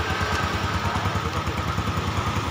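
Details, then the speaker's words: Yamaha Jupiter Z motorcycle engine just reassembled, valves checked and fresh oil added; even, rapid putt-putt idle and the earlier rough clatter is gone. Normal idle after the rebuild. "Di sini mesin pun adem ayem, tidak ada bunyi kletek lagi di bagian mesin. Semuanya sudah aman, oli pun sudah naik."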